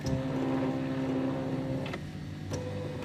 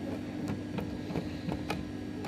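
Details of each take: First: Silhouette Cameo 3 cutter after disassembly to fix a loading/unloading roller noise; smooth even motor whir with steady tone, no grinding or clicking; roller drive sounds normal after repair. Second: Silhouette Cameo 3 cutter, disassembled, loading/unloading roller drive: irregular sharp clicks and snaps over faint motor hum as the roller gear jams and locks up when the shaft is turned; fault jams occasionally going forwards.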